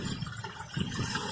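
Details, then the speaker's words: Petrol engine on cold start idling slow and lumpy, pulsing unevenly; water-spray check found no vacuum leak, so idle speed, set too low, is adjusted at the idle speed control solenoid. "So on cold start, this engine's lumpy. Once you help it start with your foot on the accelerator, it'll tick over like this."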